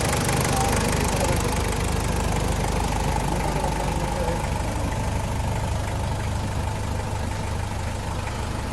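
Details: Toyota Land Cruiser 1KZ diesel idling with a steady, fairly even knock around three per second over the engine clatter; engine knocking, source of the knock unclear.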